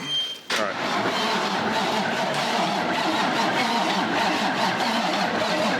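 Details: Big diesel engine with new batteries and new Pypes 7-inch stacks on first start: sluggish, uneven starter churn at two to three beats a second dragging down without catching; batteries too weak to spin it, charger added.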